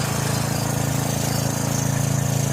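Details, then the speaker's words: John Deere 6200 portable generator, stored about four years with old fuel varnishing the carburetor, now with a new carburetor and gaskets: even, fast putter with a smooth steady beat and no misses or surging; running cleanly. "Sounds amazing."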